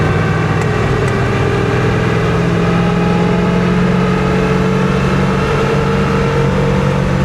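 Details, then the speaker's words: 1966 Impala from a salt-water flood, rear differential with about 4.10 gears, driving around 45 mph at 2500 rpm to 50 at 3000; steady droning whine holding its pitch, worn rear-end gears or bearings suspected, not confirmed. "Yeah, that rear end just doesn't sound good, man."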